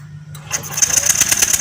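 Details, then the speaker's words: Yamaha Lexi fuel-injected scooter that died suddenly: cranking with fast even starter whir, never catches; spark checked directly at taped, spliced ignition coil lead shows no spark at all. "Oke, teman-teman, lihat di sini bahwa bunga api benar-benar hilang Pak ya. Bunga api benar-benar hilang. Ini dari kabel koil."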